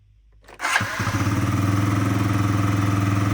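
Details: Yamaha Jog SA36 scooter that wouldn't start after owner's disassembly and reassembly, air filter removed, running after fault lamp cleared: cranks briefly, catches within a second and settles into an even, steady low putter; runs healthy.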